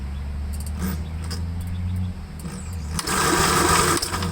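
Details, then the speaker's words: 1954 Gravely L single-cylinder that sat for a long time, with no fuel flow and a suspected intermittent magneto. On a very flat battery, the starter turns it over sluggishly and unevenly with no firing. Slow cranking from a weak battery. "this battery is really gone so i'm going to shut the camera off for now let the battery charge up a little bit yeah let's just uh see just for kicks if it'll uh crank"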